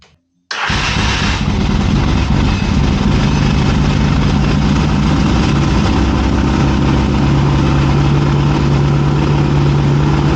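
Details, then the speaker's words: 1981 Yamaha XS650 Special twin, first startup after carb rebuild, on bottle-fed fuel with a weak battery on charger: fires instantly and settles into a steady, even idle with no misses. "friends, as you heard, it runs. And it seems to run pretty well, honestly."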